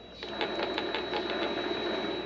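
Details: Vevor MX400 mini lathe headstock running: fast ticking about six times a second over a thin high whine, less bad at high rpm; worn idler pulley bearings (608Z) to be replaced.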